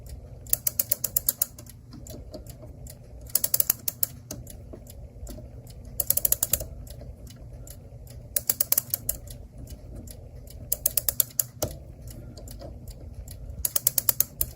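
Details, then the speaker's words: Clock, after bending a spring back for tension and reassembling: bursts of crisp rapid clicks every couple of seconds as the key turns, ratchet catching; spring holds its wind. "Well, it's holding a wind. We'll let it do what it wants to do."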